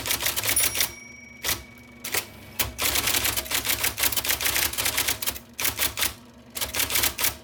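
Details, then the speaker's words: 1979 IBM Selectric II (non-correcting) typewriter, restored after a miswired plug, cleaning, flushing and lubrication: bursts of crisp, rapid type-ball strikes with short pauses over steady motor hum; normal, smooth typing. "Also, that tremendous, one might even say beautiful noise of the type ball hitting the paper."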